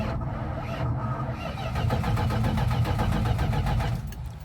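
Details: 1973 Chrysler Newport 400 cu in V8 from a junkyard, not run in years, cranking with starting fluid and choke: starter turns it over at a steady, slightly uneven rhythm near four beats a second but it never fires; cranks but won't start, cause unconfirmed.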